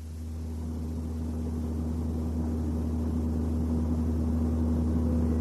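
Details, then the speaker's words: Toyota NVH training example: steady low droning hum, most noticeable around 90 km/h and building with road speed, no knocking; analyzer measures 60 Hz, matching propeller shaft vibration, so most likely an unbalanced or runout propeller shaft. "Согласно анализатору частота шума 60 гц эта частота соответствует той с которой мог бы вибрировать карданный вал в случае несбалансированности или биений это значит что шум вызывается скорее всего карданным валом"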